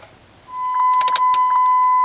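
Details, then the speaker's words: 2004 Dodge Ram 1500 4.7L V8 after repairing a worn-through PCM B+ wire causing intermittent no-crank. At key-on, a steady thin hum holds evenly over faint clicks: the fuel pump is priming normally again. "oh I hear the fuel pump and I have a uh transmission gear selector indicators working again which it wasn't before"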